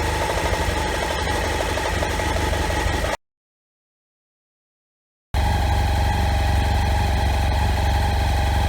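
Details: BMW F800 GS idling with old, worn standard spark plugs: a lumpy chugging pulse about four beats a second with a silent gap, plus knocking. Rough running and misfire, fixed with NGK Iridium plugs.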